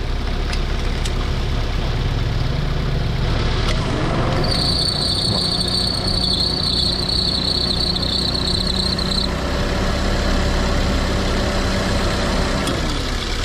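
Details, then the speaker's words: Perodua Myvi, engine warm, air-con on, after spraying Toyo belt dressing on the running belt: smooth even idle, no chirp or squeal from the engine front; belt now quiet, problem solved. "Okey tengok tengok tak ada bunyi lagi eh tengok habis selesai masalah Okey sini semua kat Okey. Ah tak ada bunyi dah. Tak ada bunyi dah."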